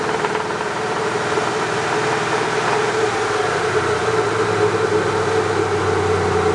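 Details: 2001 Ford Mustang SVT Cobra V8, 65k miles, 5-speed: faint irregular knock of about three a second under engine roar, present at start-up and above 2,500 rpm, with strong fuel smell and slight white smoke; spun bearing suspected.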